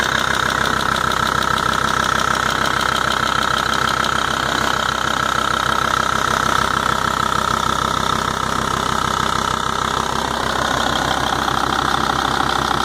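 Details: 2.5 TDI Volvo-Audi diesel engine at steady idle: crisp, regular top-end ticking around two and a half per second, persistent throughout; cause undetermined.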